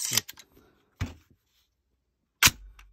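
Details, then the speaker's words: 300 Blackout AR rifle after replacing the mil-spec buffer and spring with a JP Enterprises Silent Captured Spring JPSC2-15, action racked by hand. Three crisp metallic clacks with no twangy spring ring: quiet buffer operation, spring noise gone. "yeah, it's more clear. That's I don't hear that same spring noise anymore. Yep, I think it's improved."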